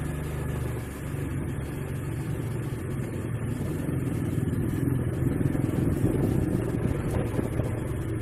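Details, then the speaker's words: Honda Vario CBS scooter, complaint of noise when throttled: engine revving with an uneven clacking from the CVT belt-drive side as throttle opens, quieter when not riding; worn clutch linings and roller slider. "Jadi kalau digas ini ya retak dia bunyinya sih di ini ya, bunyinya di bagian CVT ya. Jadi kalau digas ketak gitu, klak gitu."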